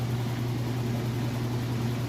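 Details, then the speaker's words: Roper washer spinning a heavy load of towels: smooth deep steady hum at constant speed, no thumping or banging, balanced; normal spin cycle. "Do an excellent job. Considering how heavy that load is, it is doing an excellent job."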